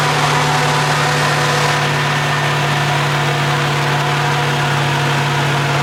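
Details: AMC 360 V8 just rebuilt after a lost cam, with new Summit 8600 cam, lifters, timing set, bearings, Edelbrock carb, HEI distributor, ZDDP oil: steady, even deep drone at 900 rpm idle, no knocks, ticks or misses; reading 25 at idle versus under 10 before; normal idle.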